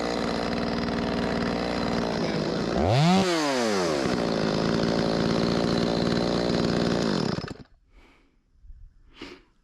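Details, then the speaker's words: Stihl 025 chainsaw, possibly 16-inch bar, after carburetor replacement for a stiffened diaphragm that caused flooding and no restart when hot: strong, clean rev rising and falling smoothly with no bog; runs well, needs slight adjustment. "ain't gonna win no contest, but pretty good. Rips, baby."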